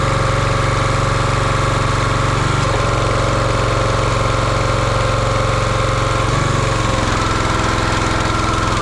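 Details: Champion 27-ton log splitter, 224cc engine, stored outside probably over a year, after a hydraulic fluid leak was fixed by tightening a fitting: steady running, pitch dipping briefly twice as hydraulic pump takes load, recovering cleanly; healthy.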